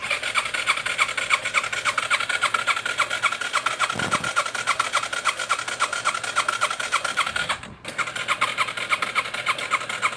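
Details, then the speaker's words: 2005 Yamaha TTR 230, once fully submerged, cranked on starter with plug in, fuel on, choke on: even whirr under two a second, never firing, nothing from exhaust; watery oil found; cause a broken exhaust rocker arm. "foreign there's nothing coming out of the exhaust let's check this drain and see if there's something clogged up inside here"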